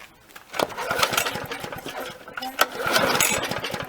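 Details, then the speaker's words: Briggs & Stratton lawnmower long stored in a shed, running only on fuel fed by hand/primer: ragged, uneven popping with misses and surges, smoky, oil pouring from the muffler; owner reasons oil was left in the cylinder since last run. Oil-fouled sputtering. "We have oil absolutely pouring out of the muffler, which means when it was hydraulic last, which is when I remembered it, it would have had oil in it."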